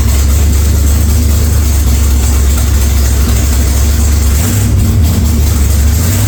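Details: 1946 Chevy truck rat rod engine: deep, loud exhaust rumble at a steady idle, then a rev blip near the end; sounds healthy, just a loud exhaust; oil pressure took a while to come up after start-up, cause unknown.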